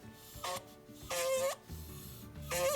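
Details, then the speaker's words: Audi/Volkswagen 1.8T cylinder head valve after hand lapping, compound cleaned out, valve spun by hand on its seat: short, smooth humming rub with no gritty scratching; valve seated cleanly, same for the other valve. "no grit in there, and you can actually feel it vibrating. That means it's perfectly seated in there, and same with this other valve. That's super smooth, and that's what we want it to feel like."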